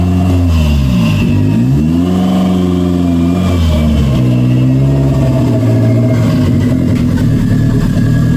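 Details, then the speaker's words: 1992 Toyota MR2 after the throttle cable and idle fix: a steady idle that picks up cleanly on several quick blips, with a responsive throttle and an even return to idle. Normal, healthy running. "it works um I really I really can't say anything bad it feels good uh the throttle is pretty responsive as I as I give it a go"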